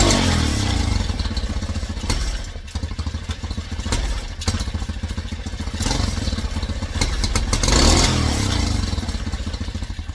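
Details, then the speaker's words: Tao Cheetah kids' 125 quad with PZ22 carb (replacing VM20), pilot jet just raised from #35 to #40, first start: revs with a brief stumble and flat spot on each throttle snap before picking up. Still hesitating; mixture screw then at 1.5 turns out. "Still hesitating a little bit."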